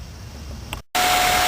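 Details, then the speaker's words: 2003 Honda Element after replacing both the engine cooling and condenser fan motors, diagnosed from overheating: after a brief dropout, a loud steady rush of air with a faint even hum; both new fans running great. "okay guys got both fan motors in hope you can hear me both fans are running great"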